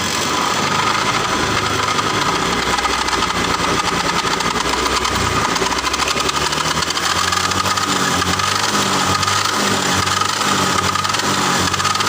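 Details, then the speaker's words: Bitpop scooter running with a rough, gritty rasp from the CVT case area that persists with speed; on teardown the final-drive bearings had run dry after the gear oil ran out, causing heavy friction. "Jadi permasalahannya ternyata karena kekeringan oli, bro. Olinya habis sehingga gesekannya banter banget karena tidak ada olinya."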